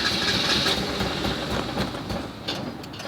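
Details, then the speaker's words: Barn-find Mazda Miata sitting 3 years, fresh gas added: uneven cranking about three to four beats a second with occasional cough; long crank, slow start, owner thinks fuel pump starting to pick up. "starting almost I think the fuel pump just started picking up there we go she's on it started"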